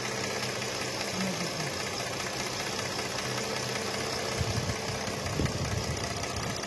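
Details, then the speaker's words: Mercedes-Benz AMG with 6-cylinder V6 engine (663), complaint of misfire and no pickup: quiet idle with uneven stumbling beat and occasional shakes; misfire from three dead coils on one bank, nearly all coils bad, all to be replaced. "তো friends আমরা check করে দেখলাম যে coil খারাপ আছে এটার তিনটা একটা হেডের পুরা কাজ করতেছে না সবগুলা কয়েল প্রায় খারাপ সবগুলোই চেঞ্জ করতে হবে এখানে"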